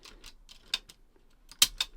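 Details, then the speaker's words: JVC 9415LSB radio cassette after mech cleaning, before new belts, tape inserted: crisp plastic clicks and snaps as play, stop, fast-forward and rewind keys latch and spring back freely, no motor running. "I'll just make sure that the mech is running freely now so I'll just drop a tape in there just to get the mech working play stop fast forward and rewinder working nicely it's snapping back in really easily"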